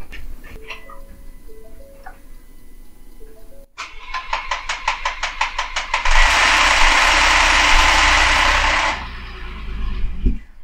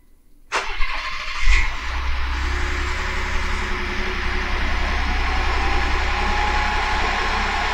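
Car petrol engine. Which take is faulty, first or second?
first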